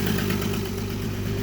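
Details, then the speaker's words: 2016 Dodge Caravan/Town and Country V6 after replacing bad cylinder 5 injector (codes P0205, P0305): smooth, even idle with steady low hum, no stumbles or skips; misfire fixed. "I'll put it all back together it should not be misfiring we just confirm the fix"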